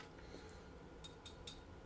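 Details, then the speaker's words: 1938 Zenith 9S262 tube radio, rectifier tube tapped by hand: three light glassy clinks with a faint tinkle like an old bulb. Something inside the tube is loose, though the radio was working; replacement may be recommended. "Yeah, there's something in there that's a little bit loose, and that kind of worries me for a rectifier tube."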